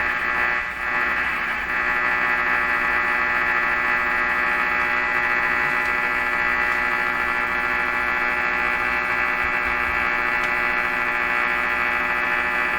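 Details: Hallicrafters S-38 four-band tube radio: a steady, even hum with a buzzy upper edge and no clicks; interference noise passing through the mixer tube, possibly two noise signals mixing near 455 kHz, with the cause not confirmed.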